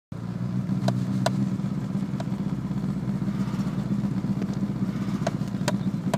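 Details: Renault Clio 172 Cup at cold idle: uneven, stumbling beat with occasional sharp pops breaking the rhythm; the engine misfires when cold.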